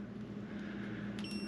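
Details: Diesel heater in a garage, 66°F day: short electronic beep pattern as the controller button is pressed over a steady low hum; normal power-on, heater starting up.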